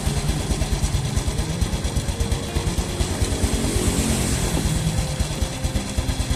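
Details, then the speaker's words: Engine warming after an oil change to Shell Advanced AX7 10W-40 semi-synthetic: an even, relaxed putter at about two beats a second with no knocks, smoother than the rough-sounding engine before the change; a normal, steady idle. "mengaku sementara bunyinya juga jadi lebih halus karena ukurannya tentunya sama"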